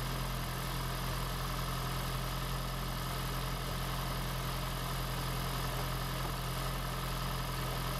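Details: 2016 (4th-gen) Prius engine just swapped into a 2012 Prius V, first run in maintenance mode, car on jack stands, coolant air still to bleed; steady even idle, low hum, no knocks, misses or stumbles; runs smooth.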